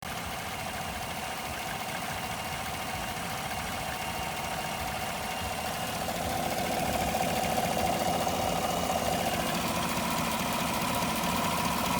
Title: Vacuum Leak